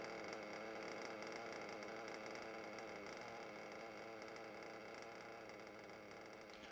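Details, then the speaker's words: Nitro RC engine after repeatedly leaning the low-speed needle and reducing the idle gap; quiet, even high-pitched buzz with no surging or hunting: normal idle. "okay so there you go so now the engine seems fine but it was already good a while ago"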